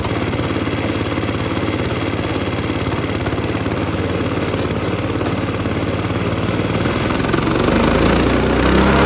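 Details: Lifan 7hp/GX200-clone engine on a Frontier OS18 sawmill, after head gasket repair (loose bolt, zero compression) and throttle cable adjustment: settles into an even, steady idle with a quick regular beat, no misses or knocks; healthy.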